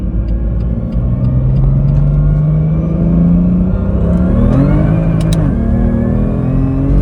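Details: BMW M2 with DCT on cheap polyurethane transmission mounts, driving: clear high gear whine rising and falling with revs over the engine, with strong vibration felt through the steering wheel and gear or flywheel clatter carried into the chassis.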